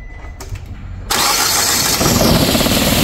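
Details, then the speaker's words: 2007 Nissan Versa/Tiida hatchback, code P0300 multiple cylinder misfire: fires after short crank and runs with an uneven, lumpy idle beat; cylinder 4 dead, its injector getting no pulse as shown by test light. "गाड़ी में misfire आ रहा है, इसमें आप देखेंगे error हमारा जो आ रहा है P0300, इसमें एरर आ रहा है मल्टीपल सिलेंडर मिसफायर। इसमें इसका जो फोर सिलेंडर है नंबर फोर सिलेंडर वो काम नहीं कर रही है"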